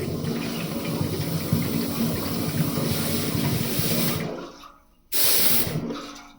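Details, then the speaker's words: 2002 International 8100 with ISM Cummins, fuel line between pump, ECM and head blown through with 125 psi air: rushing, gurgling flow that cuts off cleanly and surges again, good path both ways back to return — unrestricted fuel line flow. "So, we have good flow either way. That tells us we have a good path from here all the way through back to the return."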